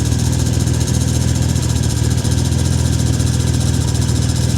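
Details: 1991 Mercury Cougar after adding BlueDevil head gasket sealer and running with the radiator cap off: deep, slightly lumpy idle, steady low throb, smoke subsided, no more puffing or coolant spitting, coolant circulating; still a touch rough.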